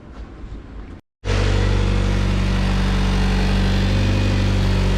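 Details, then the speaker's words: Honda CRX (AWD build) started and idling while burping the coolant system and checking for oil leaks; short pause, then catches and settles into a steady, even low idle, nice and crisp with no misses or ticking; normal idle. "Alright, so we're idling nice and crisp now. We're just looking for an oil leak."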